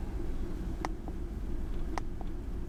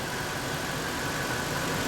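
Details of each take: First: Ford F150 4.6L V8 with code P0402 and a low, poor idle, on a cold start after sitting about an hour (ECT 124°F): shaky, lumpy idle with occasional sharp ticks; rough idle from a clogged EGR vacuum solenoid filter. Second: Ford F150 4.6L V8 (code P0402) running after EGR vacuum diagnosis: smooth, even idle with a steady low rumble and no misses or stumbles; engine now running cleanly.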